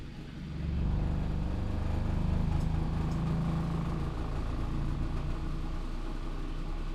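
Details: New Artillery Sidewinder X4 Plus S1 3D printer running its resonance compensation calibration after setup, to reduce ringing in prints. A low droning buzz with shifting tones swells in, holds, then eases off. Normal calibration vibration.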